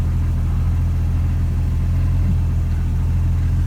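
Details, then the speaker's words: 1999 Jeep Cherokee XJ 4.0 inline-six after new Champion Copper Plus plugs, cap, rotor and wires, at normal operating temperature idling about 725 rpm: low steady smooth beat, no misses, knocks or ticks, healthy. "Okay, idling now, normal operating temperature here. Idling, it's like around the 725 range, I guess."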